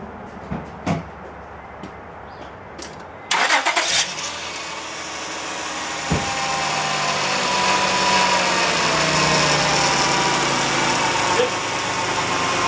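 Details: 2004 Honda Pilot, engine swapped in, started after charging the battery and tightening the front header pipe: brief crank, catches, then steady even idle, no knocks or rattles; healthy, no check engine light.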